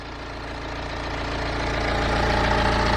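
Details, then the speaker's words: BMW E90 3 Series with drive belt removed (belt looks new, uncracked): smooth even idle with no squeak; squeak confirmed gone, so it lies in the drive belt system. "But let's get this fired back up and see if the squeak has gone. Yeah, the squeak has definitely gone."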